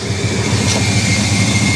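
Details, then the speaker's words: 1966 Ford Country Sedan station wagon running for the first time in about 20 years: a loud, uneven low rumble with lumpy, irregular pulsing and hiss while it shakes hard and smokes. Rough running, with a brake line leak and a squeal suspected from the water pump. "and uh oh yeah we got a leaking brake line and this thing's shaking like crazy this motor is not happy"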